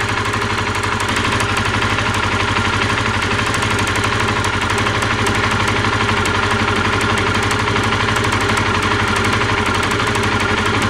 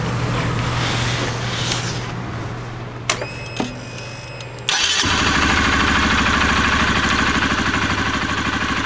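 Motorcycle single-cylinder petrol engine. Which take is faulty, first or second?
first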